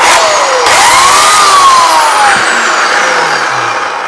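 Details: Oragon CS1500 electric chainsaw, being repaired for no bar oil flow, test-run after chain tensioning: motor whine climbs smoothly, holds, then winds down evenly with no grinding or rattle; normal running.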